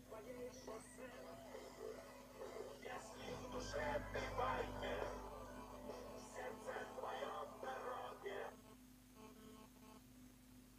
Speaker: в данном случае ноутбук нас тошиба сателлит a210 ним барахлит правый динамик при прослушивании музыки